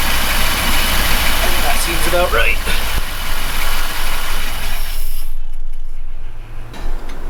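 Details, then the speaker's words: Chevy truck V8 after valve lash adjustment, ignition timing set and valvetrain cleaned: deep, steady rumble with a brief rev that settles back smoothly; a good, healthy, even idle. "so we got a good idle or a good rep right now that's pretty good"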